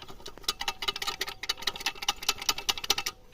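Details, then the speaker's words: Engine at idle after a head gasket job with a new timing belt and water pump: sharp, ringing metal-on-metal ticks at about two to three a second. Valve clearances were adjusted and correct and ignition was checked; the source is still unknown. "собираю завожу машину какие-то опять стуки такие звонкие как будто металл об металл бьёт"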